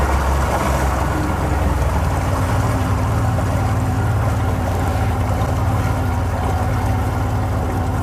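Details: Oil-injected two-stroke outboard on Lake Washington, idling; even low drone with water wash around it, no sputter, misfire or knocking, running healthy.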